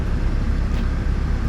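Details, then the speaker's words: Acura Integra DC2 with JDM front idling with the AC switched on after a new DW200 fuel pump, spark plugs, wires, crank and cam sensors: steady idle holds speed under AC load with no stumble. Before the repair it behaved differently with the AC on. "cut the AC on and it still sounds exactly the same. Before it would like act different."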